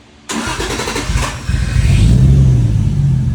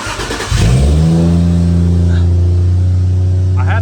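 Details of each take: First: Toyota Soarer with temporarily wired 1ZZ coil-on-plug coils: cranks and catches, then runs with an uneven, stumbling idle. A misfire is suspected from the number-one coil pack, which is not confirmed. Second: Toyota Soarer petrol engine cranks briefly, catches cleanly and settles into a steady, even idle with no stumble, after a junkyard replacement coil pack was fitted to cylinder 5; the misfire is gone and the engine runs normally.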